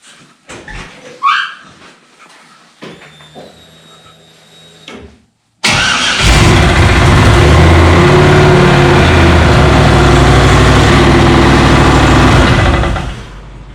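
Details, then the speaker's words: 1955 Chevy, LS1 swap with Turbo 350: fires into loud rough run with steady rapid knocking at rear of engine; transmission bell housing loose, SAE bolts in metric block, two broken, others loose, bell housing broken, ring gear bent. "We were coming back from back to the 50s last year from Minneapolis there, and the tranny started to make one hell of a noise."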